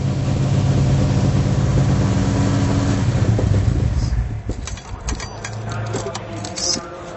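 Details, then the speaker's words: 1972 Chrysler Valiant E55 VH Charger, modified 450 hp engine with solid cam, forged pistons, 11:1 compression, still cold: deep throaty rev held a few seconds then dropping back to steady idle, pulling evenly; normal revving. "so yep that's how she sounds like i prefer the perv these old motors compared to the newer vehicles"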